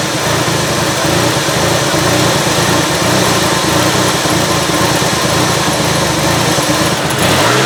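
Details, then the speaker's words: 2005 Ford Freestar 3.9L, running after an engine swap and a crank-no-start fix: steady idle with a loud hiss because the brake booster vacuum hose fitting fell out, likely pushed by the wire loom. "so it looks like this vacuum hose fitting for the brake booster had fallen out"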